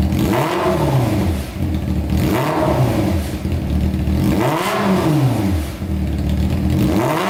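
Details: Honda CBR600 four-cylinder engine in a custom go-kart, waiting for the fan to come on: repeated rev blips about two seconds apart, smooth and even with a clean pitch sweep, described as amazing and puffy. Normal revving.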